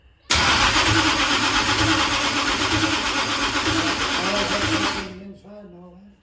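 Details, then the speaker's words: Dirt-track race engine during first start attempts: harsh, raspy grinding through a five-second crank with no fire, then it stops. The starter is mounted too close to the flywheel and binds on it. "we found out the problem the uh the starter is actually too close to the uh flywheel"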